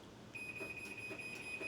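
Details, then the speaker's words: High steady electronic beeping with flashing light from a Chamberlain 1.25 HP smart garage door opener, a normal safety warning for a few seconds before the door closes when commanded from the app. "Hear it beeping? It's beeping and flashing, and it's going to wait a few seconds before it shuts down the garage door. So if there's anybody in the way, it kind of gives them notification that it's getting ready to shut."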